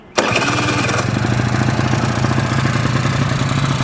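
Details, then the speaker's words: 1986 Honda Spree scooter, carburetor needle adjusted, vacuum petcock: starter catches in a split second, then a steady, even two-stroke idle with a clean buzzing beat; healthy start. "And that's it. There she goes. Man, what a fun little machine."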